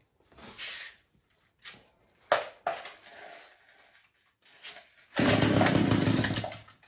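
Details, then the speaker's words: Echo two-stroke weed eater that kept stalling now holds a steady buzzing high-speed run after turning the carburetor's high-speed screw slightly counterclockwise; running properly. "That's it. Runs fantastic."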